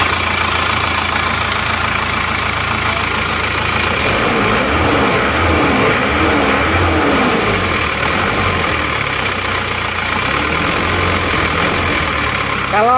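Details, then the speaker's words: Isuzu Panther LV Adventure diesel: idles with a hard, clattery knock about four beats a second, harsher than other Panthers, engine not blowing by; low idle rpm and a fan belt noise suspected, cause not confirmed. "suara menurut saya emang agak kasar dibanding dengan mobil-mobil Panther yang lainnya ya"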